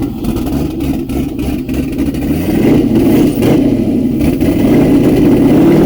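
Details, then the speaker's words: Turbo LS V8 swapped Miata on first start with the turbo fitted, running the old tune with the O2 sensor unplugged and the exhaust dumping out of the downpipes. Loud, uneven revving with a raw open-exhaust bark and no smooth idle. Rough running, cause suspected, not confirmed. "still on the old tune O2 sensor is not hooked up so it's probably not going to run that great but let's see if we can get some noises out of this thing"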